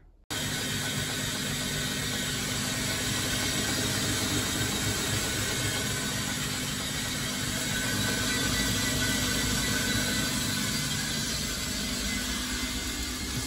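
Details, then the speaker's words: Bosch WFF1401 washer on an easy-care short wash test after bearing replacement. A loud steady hum and drum swish with commutator-brush whining but no grinding or bearing rumble; it runs fine, and a 1200 spin is expected. "you can hear those that kind of whining is the um brushes on the commutator it's the spin I'm interested in it should have a 1200 spin for this it sounds loud but it's okay"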